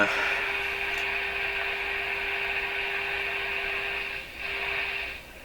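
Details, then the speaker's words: Rogers 11RA651 shortwave radio during SW band alignment, tuned near 15.2 MHz on a moderately weak signal: loud steady hiss with a faint fixed tone underneath, little hiss when tuned off; more receiver hiss than should be there, cause unknown. "Okay, we have a moderately weak signal. So, I'll hook up my other meter here. Okay, meter's working. A lot of hiss, eh? More than should be there, I think."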